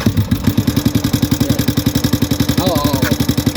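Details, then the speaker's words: Yamaha Sniper 150 at idle with frequent check-engine light and very noisy engine, before teardown: loud harsh clatter pulsing about 220 per minute over a rough idle, sounds badly worn internally; cause not yet found after several shops. "Pakinggan niyo makina mga bro kakatakot Ay grabe"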